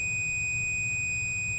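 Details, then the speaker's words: Original Xbox motherboard, removed, multimeter continuity check on bulging capacitors: on the second one a steady unbroken high-pitched beep, reading as a short. "so the first one is over here and it charges up the second one is over here and that one showing it that short"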